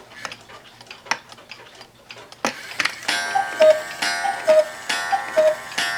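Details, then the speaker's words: One-day cuckoo clock (owl and grapes) with rack and snail striking, quieter than another clock. Soft ticking, then a clear two-note cuckoo call about every second, even and clean: chiming properly. "It's much quieter than the other one, which is loud. And of course, it uses whack and snail striking, so it's safe to turn back."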